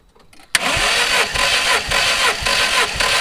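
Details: MG TF VVC, rebuilt Rover K-series engine, cranking during compression test: steady starter cranking with even compression pulses; readings about 158, 166, 153, 178, cylinder two slightly out of range; normal cranking.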